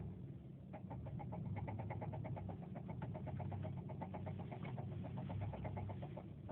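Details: 2007 Subaru Forester XT while driving: faint, quick, regular ticking knock over a low engine rumble, coming and going; no warning lights or smoke, car later vibrated a lot; owner suspects rod knock, not confirmed.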